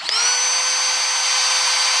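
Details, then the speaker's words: Milwaukee rotary tool with a fault: with the dial on 2 it won't start, only flashing lights. It runs only if left switched on while the battery goes in, and then only at top speed, a high whine climbing to full pitch within a quarter second; a warranty claim may be tried. "So it only works when you have it already in the on position, and it only works on high speed, which I've tried using it like that a few times, and it's actually very dangerous."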